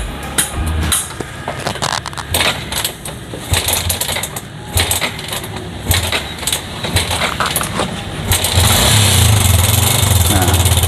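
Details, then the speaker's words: Yamaha Jupiter MX King 150 idling with a loud, fast helicopter-like clattering rattle from a slack cam chain with a faulty tensioner stud that had already been adjusted once and may need replacing; risks the chain jumping and bent valves. "Itu teman-teman, suaranya kayak helikopter ya. Jadi ini bahaya ya teman-teman."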